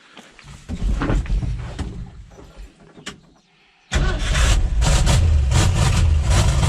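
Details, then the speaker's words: 1969 Ford F-250 highboy with a tired 360 V8, smoking heavily. Low, uneven idle that sags and nearly dies, then settles into a heavier, muffled rumble. Exhaust restricted by a plugged muffler. "Uh-oh. Found the problem. I think the muffler's plugged up."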